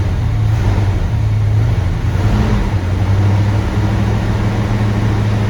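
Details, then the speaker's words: 1970 Chevy C20 truck V8 with low fuel, restarted with the timing sounding right and steam coming off it. A deep, even rumble holds a steady idle with no misses, knocks or ticks; normal idle. "hey it's idling and it's steaming well that's going to do it for this video"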